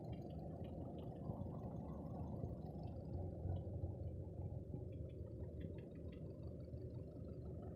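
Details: Škoda 1.6 with a manual gearbox: a low, uneven engine rumble with a dull repeated knock underneath at about three per second; worn pistons are knocking, and the piston group was replaced.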